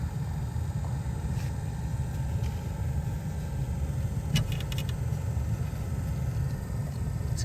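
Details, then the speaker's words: 2004+ Saab 9-3 cabin blower on its lowest setting (position 1) after blower resistor replacement: a steady low whooshing rumble, a bit loud but even, with no squeal or ticking. The blower is healthy and the new resistor only warm. "Okay, let's put it onto the maximum. Put it on 1. So you can hear the fan a little bit."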